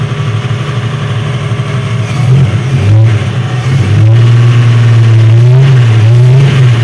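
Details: Chevrolet Opala engine revving up and down: uneven, slightly wavering note with an airy rush underneath. The test confirmed false air leaking at the first base of the intake manifold, not the camshaft gear.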